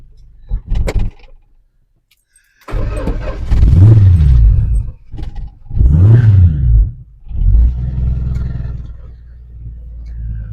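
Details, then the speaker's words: 1974 Dodge D100 V8 after last-minute carburetor work (no automatic choke linkage, accelerator pump primed): cranks, catches and picks up cleanly on two sharp throttle blips, then settles to idle; no hesitation now, normal throttle response. "Oh yeah, there's no hesitation now."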